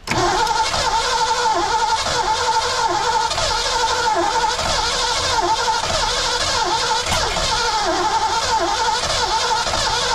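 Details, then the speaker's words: 1982 McLaren Mustang, sat 30+ years, factory coil, valves closed at TDC, slack timing chain: steady cranking with uneven sputters that nearly catch but never run; ignition timing suspected, adjusted without success; cranks and sputters. "come on it's like it doesn't have enough timing so that's way too much back it up"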